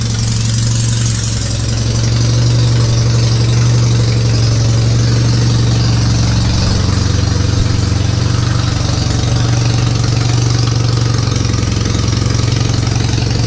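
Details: Citroën 2CV flat-twin after the static timing was set and a reversed ignition coil connection was corrected, carburettor stood empty for 20 years: steady, even idle with a smooth low thrum and no misfires, spitting or bangs; it now runs.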